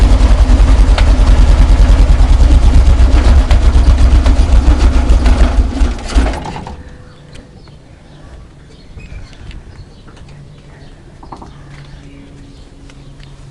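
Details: VW Kombi engine on first start of the day: rough idle with a regular knock about 2.5 per second, sounding like something loose, fading once the engine stabilizes; owners fear seized engine.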